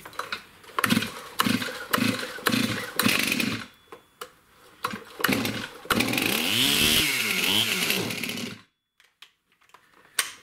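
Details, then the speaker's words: STIHL MS291 chainsaw with correctly mixed fuel, customer complaint hard starting, poor idle and bogging; short choppy throttle blips then a rev that sags and dies, won't hold idle when throttled down; cause not yet found. "see when you Throttle Down it just does not want to stay idling properly"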